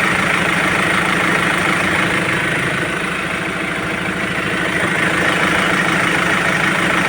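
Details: Ford Ranger T7 diesel after cleaning the dirty air cooler temperature sensor that caused high idle, A/C compressor cut-out and power loss; even steady low idle with regular clatter, no hunting or surging; A/C now working, normal idle.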